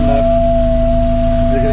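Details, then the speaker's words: 1982 VW Westfalia with a Subaru engine swap, just after changing the fuel pressure regulator: a steady, unwavering high whine from the loud electric fuel pump sits over the low engine hum. "can hear that fuel pump there making lots of noise."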